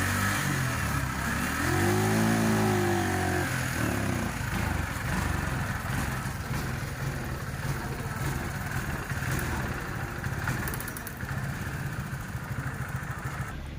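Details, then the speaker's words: TVS XL100 BS6 moped before repair: starts but at full throttle the note barely rises, then falters and shuts off; OBD showed no fault, swapping the throttle body and fuel pump didn't help; faulty engine control unit. "பார்த்தீங்கன்னா வண்டி start பண்ணுறோம், ரேஸே ஆகலை. Full throttle கொடுக்குறேன், வண்டி பார்த்தீங்கன்னா ரைஸே ஆகலை, of ஆகுது. இதுதான் ஃப்ரெண்ட்ஸ் இந்த வண்டியோட கம்ப்ளைண்ட்டு."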